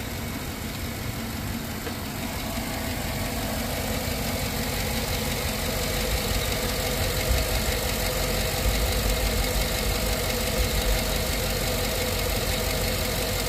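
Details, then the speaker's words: Steady idle on a GM AFM engine with a quick, light lifter tap about three times a second that never fades. Prolube additive was just added, and the tap persists after a couple of minutes; going from cold to warm made no difference. "got a little bit of that lifter tap going on and I happen to get some of this stuff in so I said why not"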